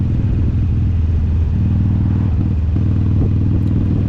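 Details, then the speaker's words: 2007 Harley Sportster 1200 fuel-injected, riding under load: uneven, stumbling V-twin beat turns ragged as the front cylinder drops out, losing power to effectively 600 cc; cylinder dropout. "yep just one cylinder so we're losing power pretty uh significantly right here we're going from 1200 cc's to 600"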